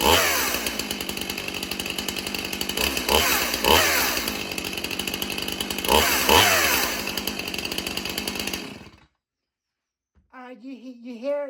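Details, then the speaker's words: Stihl MS291 Farm Boss chainsaw with 20-inch bar, chain on a .325-pitch sprocket instead of 3/8, not held wide open: high raspy run with loud rhythmic chain chatter swelling on each blip, caused by the wrong-pitch sprocket. "You hear that loud noise? Do you hear that? That is the wrong sprocket that chain is setting on. That's why I don't want to hold it wide open because it'll mess something up."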